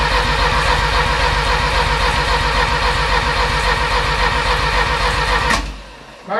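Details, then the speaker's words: Porsche 924 rebuilt engine, first start attempt: starter churns evenly about four beats a second with no firing, then stops; cranks but won't start. Owner suspects too little fuel pressure to open the injectors as the air flow valve reads no air. "question is why isn't it firing if I'm telling it it's got gas it's got gas now right"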